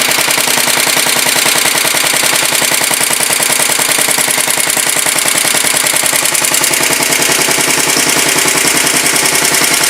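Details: 1967 Sears Suburban 10 tractor, first start after repairs, battery charged to 94%: quick, even popping at a steady idle, about three beats a second, with no misses or knocks. Normal idle, though idling too low leaves the battery undercharged.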